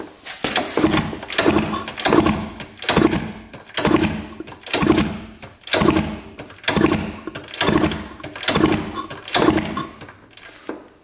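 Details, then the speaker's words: 1971 Yamaha JT1 mini enduro stored 30 years in a basement, spark plug in: steady kickstarts about once a second, each a dull whoosh of decent compression with no firing at all. Zero spark; trying a different plug next. "looks like it has decent compression and I have the spark plug in so hopefully we've got enough to start it up if we can get spark so that there is zero spark"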